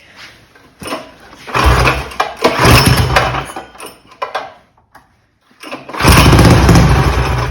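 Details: Mega Moto 212 mini bike, modified Predator Hemi engine with Mikuni carburetor, during carburetor tuning after quitting on a ride: cranks and catches in uneven bursts, surges, dies and restarts, never settling; sounds lean, cause suspected, not confirmed.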